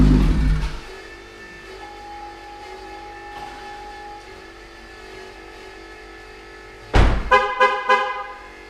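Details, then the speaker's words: Corvette with rear-mount turbo, being checked for lost boost and an exhaust leak: engine shuts off, then a faint steady electric buzz continues as the timed rear oil scavenge pump drains the turbo, set to about 15 seconds; normal run-on. "I've had a whole bunch of questions about the oiling system that I'm using for the rear mount turbo, and you just heard that buzzing sound after everything shut down."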